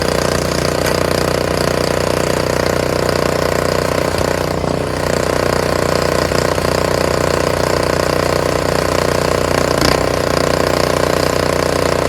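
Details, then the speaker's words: Free curbside Honda HS520 snowblower running after ultrasonic cleaning of its varnished carburetor: starts on first pull and holds a steady, even putter at brisk idle with no misses, hunting or surging, though fuel still leaks from the carb bowl; normal running. "Fantastic. Now I just got to see where that oil leak, that gas leak is coming from. How about it? That sounds fantastic, isn't it? First pull too."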